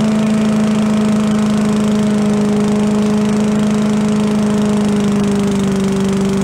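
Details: Yard-sale walk-behind leaf blower after carburetor work, air cleaner refitted: steady high two-stroke buzz, even note, no hunting or stumbling, some smoke; normal running.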